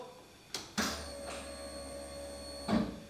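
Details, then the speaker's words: Key-on on the non-starting KITT car, listening at the rear for the fuel pump. A click, then a steady high whir for about two seconds that stops cleanly, showing the pump and its relay work. Normal fuel pump prime. "gyújtást rátéve itt hátul zümmögést fogsz hallani az rögtön jelzi hogy megy a benzinpumpa"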